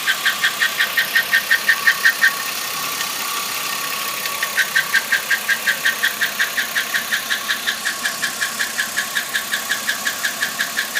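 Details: 2008 Chevrolet Impala at idle: sharp, even ticking at about three per second that pauses briefly then resumes, coming from the intake area; the source can't be pinpointed and the cause is unknown.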